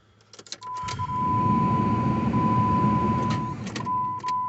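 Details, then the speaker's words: 2002 Jeep Grand Cherokee Laredo 4.0 4x4, just after replacing the serpentine belt, tensioner and idler pulley because of a bad-bearing noise. The engine is only bumped to seat the belt: a four-second steady crank with a faint whir and no squeal or slap. Normal cranking. "You're trying not to run it. You're just trying to move it a little bit to make sure everything stays in place."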